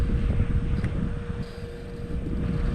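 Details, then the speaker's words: Infraction RC car on 8S with a Hobbywing Max6 G2 1650kv system, after full-throttle runs and a suspected popped ESC: thin whine over a rumble as the cooling fans seem short of power; owner suspects it is still too hot. "Like the fans are struggling to get power."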